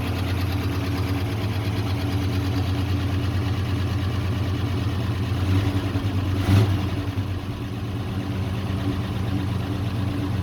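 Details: Old dump truck starting after fuel tank work and priming the pressurized fuel pump; steady, deep, even idle with smooth low drone, no misses or knocks; running healthy.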